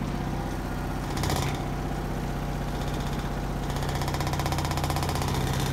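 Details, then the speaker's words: 2005/2006 Maytag Neptune washer at maximum spin speed: loud steady low rumble and drone with heavy shaking throb; vibrating hard, possibly from an unlevel or unsturdy floor, cause not confirmed. "the washer is vibrating a lot noisy vibration you can hear that"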